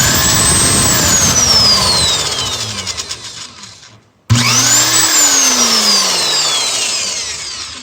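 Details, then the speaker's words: Porter Cable PCE211 7.5 A corded electric impact wrench (450 ft-lb) run with no load: rising high-pitched motor whine spinning up fast, winding down on trigger release, then a second run; smooth, healthy free spin. "So yeah, that's what it kind of sounds like. Sounds like an impact driver. But she can really spin up pretty fast."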